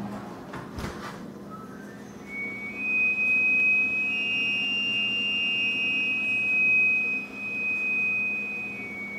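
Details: Brand-new freezer: after the door is closed, a rising whistle climbs in pitch, holds a high steady note for several seconds, then fades, likened to a bull elk; cause unconfirmed, owners wonder if altitude.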